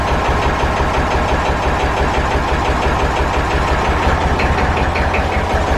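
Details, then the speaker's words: Massey Ferguson 35 tractor, started after sitting, one cylinder honed at rebuild but never worked in: uneven, lumpy diesel thumping at idle with skipped beats, running on two cylinders with one dead; runs on three under load warmed up. "uh seeing here it was only running on two cylinders or so it's because uh the one cylinder got honed out when it was rebuilt and it hasn't been worked it's just sat"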